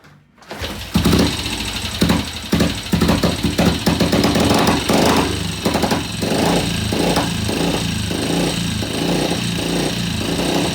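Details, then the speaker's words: Vintage BSA C15 single after fresh transmission oil, engine partly cooled, restarted with kick, tickle and throttle: catches after a few rough bursts, settles into steady, even thump; sounds healthy, normal running. "Full throttle. Sounds good."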